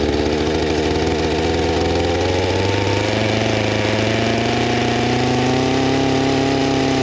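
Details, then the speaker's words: Small two-stroke engine running under throttle after restart; earlier flooded with wet spark plug, cleared by letting it sit; steady drone climbing in pitch, clean and even, no misfires; runs great. "so remember down is on up is off i might have to use a sticker or something anyway it works great"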